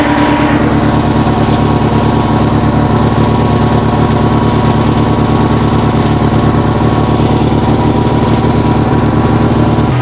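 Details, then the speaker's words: 1966 VW Fastback air-cooled flat-four, freshly installed engine, still set to high break-in idle: steady, even fast idle with smooth exhaust beat, much quieter than before; slight valve tick, valves need adjusting; some smoke expected. "that sounds so so much better going to have to go back and do the valves yeah she's going to smoke a bit it's still set to a high idle from uh me breaking the engine in so that's fine"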